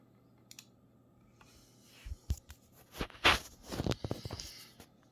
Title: Razer Viper Ultimate creaking sound - RMA again